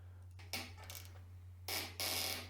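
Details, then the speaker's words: Bicycle headset being serviced, top cap overtightened: dry, scratchy creaks in short bursts as it is wound down over a faint hum; excessive preload on corroded bearings, probably just stretching the bolt. "You can hear the thing complaining. If you're ever doing engineering or mechanic work or anything, it's a really basic thing to listen to what you're tightening. If it's making a sound like that, you're probably doing nothing more than stretching the bolt."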